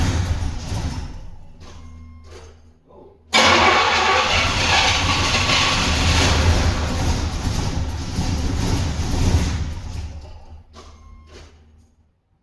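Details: Turbo Trans Am's first start after years, with 15 to 20-year-old fuel, after fixing a wrongly installed distributor rotor and possibly fuel-wet spark plugs: short cranking bursts, then it catches and settles into a rough steady idle amid heavy smoke.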